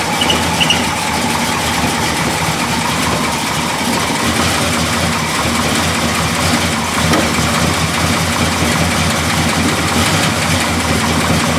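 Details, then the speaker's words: 1969 Chevelle Malibu with 350 crate V8, 350 Turbo transmission, Vintage Air: loud even burble, smooth firing with no knocks or misses, picking up cleanly; normal idle and rev. "Hello, we're going to fire up the engine in our 1969 Malibu here that we have. I'll go ahead and start it up so you guys can hear it, see how good it runs."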